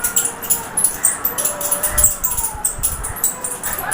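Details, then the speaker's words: Ceiling fan running, microphone held close to the motor: thin, irregular "choo choo" squeaks with gliding pitch from the motor, over chirpy high background noise. "तो आप देख सकते हैं कि इसकी आवाज़ कुछ इस तरह से आ रही है, यानी चूं चूं करके आ रही है।"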